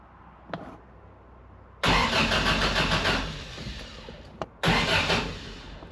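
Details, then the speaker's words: Engine-swapped 1979 Toyota Corolla, start attempt with a partly assembled new fuel system: two bursts of steady starter churning, about four turns a second, with no firing; cranks but won't start, owner suspects the fuel pump isn't pumping. "wait why is me fuid pump not fueling it should be fuel pumping when the engine"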